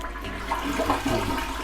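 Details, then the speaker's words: Toilet after angle valve replaced with Teflon tape to fix a leak, no leak found: strong, even rush of water drains cleanly with no gurgle or hiss, then the tank refills; normal flush. "물도 잘 내려가고요. 물이 잘 채워지나 한번 소리 한번 들어볼게요. 물이 잘 채워지는 소리가 들리네요."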